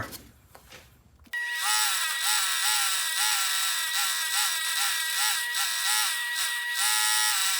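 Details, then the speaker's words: Bench grinder repurposed as a wire wheel station: steady whine with a rough, wavering rub pulsing a little over once a second, likened to a rod knock. The owner suspects the bearings are nearly shot. "I think the bearings are about shot in my uh little uh wheel wire wheel."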